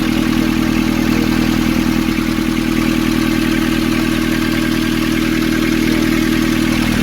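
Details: Nissan Urvan ZD30 diesel (possibly 2015) after a no-start repair in which a clogged, soot-filled part near a sensor was cleaned and refitted: steady, even idle around 200 beats a minute, no knock, miss or hunting; healthy.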